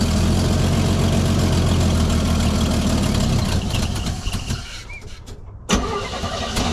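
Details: 1965 Chevy C10 V8 with a carburetor, cold after sitting about 6 hours on a chilly day: it runs rough for a few seconds, sags and nearly dies, then catches again. A hard cold start; a fuel delivery problem is suspected.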